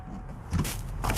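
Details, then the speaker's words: 2016 Chevrolet Tahoe 5.3L that won't crank after an engine replacement; it also has electrical faults. Battery is on a charger at about 13 A. Two sharp starter solenoid clicks with no cranking and no current flow on the battery wire, from a missing engine ground. "I'm going to try to clip onto the starter wire and we're going to try to load test that wire there at least some and see cuz the starter is definitely clicking."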